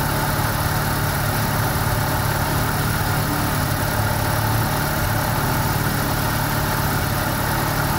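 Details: 1990 Mazda RX7 rotary, rebuilt and about 2,200 miles, warming up after a radiator replacement: a smooth, steady buzzy drone at about 1100 rpm with no misses or knocks. A normal warm-up idle, expected to drop to about 750.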